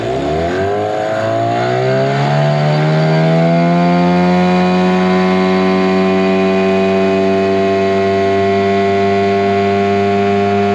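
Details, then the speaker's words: 2003 Mercury 15 hp two-stroke outboard, first top-end lake run: pitch climbs quickly, then holds a steady, even high howl at full throttle with no stumble; normal full-throttle run. "it's gonna be my first time trying to run on top end so let's see how it's going to performs"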